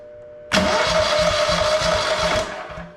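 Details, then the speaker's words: Vintage Onan Pro6000E generator, 12.5HP Elite 140 OHV engine, long-sitting, no fuel hooked up, spark confirmed, weak 4-year-old battery on charger; about two seconds of quick even cranking pulses under starter whir, spins freely; normal starter cranking. "Let's uh since I don't have any fuel hooked to it, let's just see if we can crank it over and see if the starter does anything."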